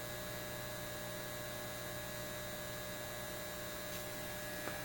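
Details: Repaired Lambda power supply on a BK Precision 8540 electronic load, 20 amps at 5 volts, 100 watts, drawing 13.82 amps from the wall: steady loud 60 Hz buzz with rough edge, louder with more current; owner suspects rust spacing apart the transformer laminates.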